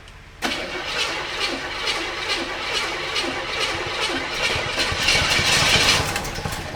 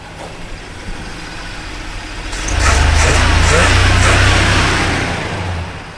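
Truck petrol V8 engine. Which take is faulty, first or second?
first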